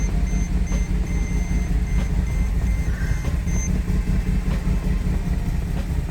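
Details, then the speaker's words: 2007 Mercedes GL450 with random misfire and low power, battery about 13 volts: after starting, idle uneven and hunting with random stumbles, battery and check engine lights on, chime beeping; catalytic converter rattles inside when tapped. "Still a bad idle. It's searching. Showing battery light. Check engine light. It's still searching."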